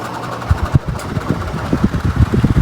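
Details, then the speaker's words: 16-inch Quality Superior pedestal fan that stopped working, hand push-started; labours with irregular low thumps and rattling instead of a smooth hum; seized, dry motor bearings needing lubrication. "oh what was that sound definitely a Seas bearings huh okay"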